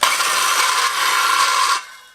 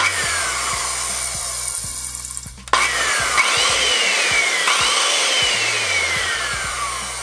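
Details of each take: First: Skilsaw model 574 circular saw running unloaded before disassembly and regreasing: a harsh, raspy grind over its whine, from a dry gearbox. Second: Skilsaw 574 corded circular saw after disassembly and regreasing, running unloaded: smooth high whir falling as it coasts, much quieter, far less grinding.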